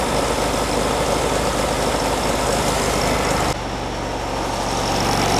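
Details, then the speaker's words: 1957 oval-window VW Beetle generator engine warming up before carburetor tuning: low, slightly lumpy idle with an uneven loping beat that never settles; rough idle needing tuning. "you might be able to see the giddy up in it we'll see if we can tune that"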